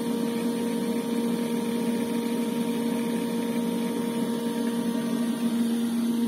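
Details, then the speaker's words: Sand filter pool pump after bleeding out sucked-in air and reopening valves: even steady hum, constant pitch, no surging or gurgling; pressure stable, no longer jumping. "если насос уже сильно не будет давление уже не скачет"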